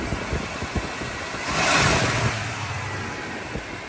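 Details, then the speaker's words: 1975 Chevrolet Caprice convertible, back running after 28 years once gas tank holes repaired, cranked by hand at the engine: steady idle then clean quick throttle blip back down without stumbling or knocking; runs smoothly. "Yes, sir. Y'all see that? Y'all hear that? Run like a sewing machine."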